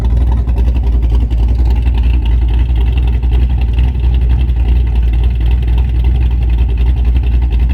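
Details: Camaro cammed V8 idling on a newly fitted Summit Racing Max EFI-500 injection with IAC valve: deep, heavy idle with an uneven, choppy big-cam lope, steady, with no knocks or misses. Normal lopey idle.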